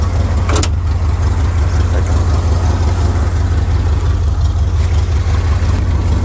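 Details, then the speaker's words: Once-abandoned Chevy C10 square body V8, just started cold, choke tube newly installed: deep pulsing idle stumbling irregularly, kicks down, not yet smooth; owner suspects a hairline-cracked distributor cap and plans a new cap; big exhaust leaks present. "Kicks down. It's not running as smooth as it should be, but we're getting a lot closer. Keep in mind, we just started it up."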